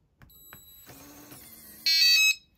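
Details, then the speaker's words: RVLock keyless travel-trailer door handle, beep enabled by holding keypad 1: faint latch clicks then one short high-pitched electronic beep of about half a second as lock operates; lock/unlock confirmation beep switched on. "now if i want to turn the beep on i hold number one until you hear that beep now you're going to hear it a beep when it locks and unlocks"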